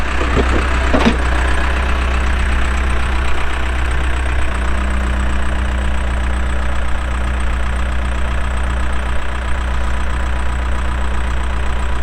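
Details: 2007 Case 580M Series 2 backhoe, 4WD, Extendahoe, pre-emissions diesel, 3,812 hours: steady, even low diesel rumble with no knocks or misses during operation; starts and runs good, hydraulics strong, normal healthy running.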